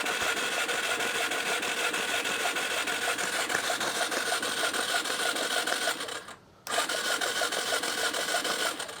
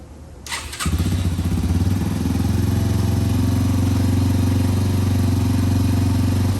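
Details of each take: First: 2005 Yamaha TTR 230, found abandoned: fast, even starter chatter at about three strokes a second with no compression, spark plug out, cranking muddy water out of the flooded cylinder before flushing it. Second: 2005 Yamaha TTR230 single after fuel-air mixture screw adjustment, muffler fitted: fires up and settles into a steady, even thump with no ticking; runs well, though the clutch is not working.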